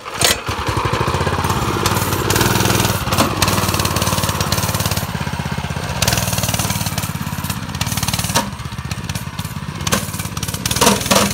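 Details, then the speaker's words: Go-kart small single-cylinder engine buzzing and revving with a loose, uneven metallic rattle on top; a part moves a little and makes a lot of noise, a worn centrifugal clutch. "But if you watch real quick, it moves a little bit. It makes a lot of noise. So if you hear that noise, that's what that is."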